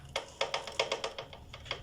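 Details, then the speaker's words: Motorcycle chain drive: sharp, uneven clacks near the chain as a loose front sprocket knocks on worn output shaft splines. "como se puede percibir y se escucha un sonido muy extraño y que puede llegar a ser molesto en la zona de la cadena"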